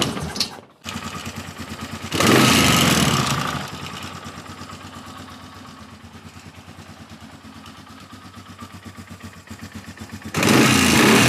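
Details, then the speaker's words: Polaris Sportsman 450 ATV with its restored original Mikuni carb: the engine catches, revs, then idles with a steady light rattling tick on each beat. The owner suspects the starter clutch rattling; the noise was there before. The slow screw still needs tweaking. "This thing's got a noise in there, too. It had this before, and I would s I would think that the starter clutch is rattling around in there."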